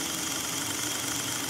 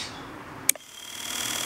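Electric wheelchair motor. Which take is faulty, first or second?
first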